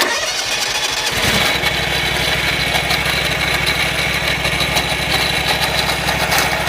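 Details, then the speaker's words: Wright Stander mower cranks and catches, then runs with a harsh, rattly drone and a steady rapid beat from the belt drive. Owner suspects failing idler pulley bearings, possibly the belt. Excessive belt-drive noise. "could be that idler pulley - could be the bearings on it hmm yeah those bearings they seem really really bad I have a feeling it's the idler pulley bearings"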